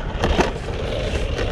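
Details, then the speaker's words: HB Toys ZP1003/ZP1004 budget RC crawler (TRX4 lookalike) with stock bouncy suspension, driven over rough ground: loose clattering body rattle and scuffing where tyres rub the body; raising the body one notch on the front helped a little. "with that suspension it's very bouncy and the body is very rattly it sounds like the tires are rubbing on it as well so a little bit of rubbing on the tires but"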